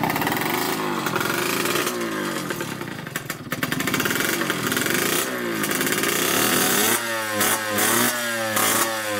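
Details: 1986 Yamaha YSR 50 two-stroke after carburetor reinstalled; crisp ringing revs rising and falling cleanly through quick blips, no misfire or rattle; normal running.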